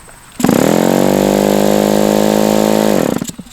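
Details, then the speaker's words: Super Tigre G90 model glow engine on an electric starter, with a Super Tigre glow plug and the fuel line now holding fuel: it spins steadily for about three seconds without a single pop; the plug is suspected. "I mean that's that should be plenty to get this engine fired up and it's not even popping"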